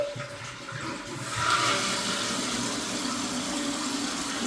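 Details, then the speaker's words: Toilet test flush after replacing the fill valve and flapper and adjusting the float, before putting the tank cover on: rushing flush swells then settles into a smooth, steady refill hiss without squeal or chatter as water refills to the desired level; normal flush and refill. "So now the water's filling back up at the level I would like it to."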